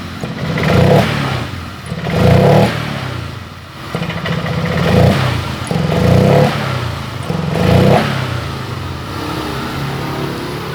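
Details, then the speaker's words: Honda Vario 125 LED scooter stumbles and hesitates when throttle opens, uneven sagging surges with heavy, unresponsive pickup at initial throttle; owner then tests by spraying fuel to separate fuel pump from injector fault; fuel pump suspected. "mas bro secara otomatis saya tarik tuas gas seperti ini responnya terasa berat banget responsifnya habis"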